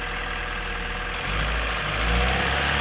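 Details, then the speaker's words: Car engine first start after repair work involving the crankshaft bolt: smooth even idle rising cleanly with revs, no more diesel-like clattering from the top end; runs healthy. "oh my goodness what a difference what a difference oh it sounds so smooth oh my goodness no more clattering"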